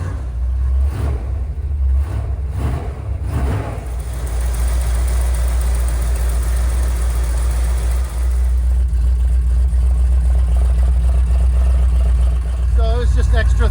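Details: 1979 Ford Bronco V8 restarted after sitting, once fuel reached the filter housing: a few rough cranking bursts, then it catches and settles into a steady, deep, even run; sounds healthy.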